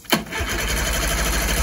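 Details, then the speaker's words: 1994 Mariner 30 hp outboard after a carb clean, on a restart: sharp start then steady starter churn without catching, cranking but not running. It is suspected to be flooded. "it might be flooded it might be flooded well we could try choking but i think it's fun go ahead and try it again yeah that's flooded it sounds like it's dying"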